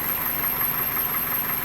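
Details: 2001 Toyota Corolla 1.8 at idle: steady, even idle with no stumble or skipped beat; all cylinders firing cleanly and the engine sounds healthy.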